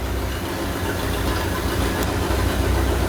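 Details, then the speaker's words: Old Suburban with a swapped-in Silverado engine, new fuel system and exhaust, on its first run in decades, with an old fuel filter and a bent power steering pulley: steady low rumble, even beat, no knocks or misses. Normal running. "hey it runs it runs well that's what matters"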